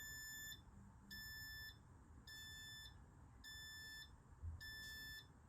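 Steady high beeps, about half a second on and half off, repeating; the tester is flagging brake fluid near 2% water, due for replacement.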